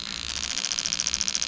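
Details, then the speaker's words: Bench test of newly built Lexus LS400 92-94 LHD engine harness, injectors fired individually starting with number eight: crisp, even, steady ticking about fourteen per second; injector pulsing normally. "i'm just going to go through and we're going to do all the injectors so you should be able to hear it over the spark plugs go in but we'll just go from there"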